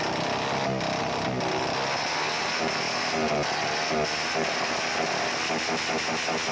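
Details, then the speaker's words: 110i motorcycle held on the rev limiter sounds ragged with stuttering drop-outs; no fault codes stored, fuel pump and injector already replaced; misfire at the cut traced to the ignition system. "อาการนี้นะครับมีไม่เยอะเลยนะครับครับระบบไฟอย่างเดียวนะครับผมระบบไฟนะครับ"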